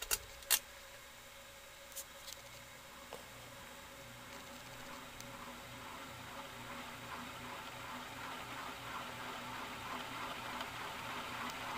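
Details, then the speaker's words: 1991 Canarm PF-36 ceiling fan, cleaned of dirt and stove grease and given a drop of 3-in-One oil, on high speed: steady hum with a rough, gravelly hiss growing over the run; bearings very noisy. "it's really noisy now though and I mean it when I say it's noisy here's High"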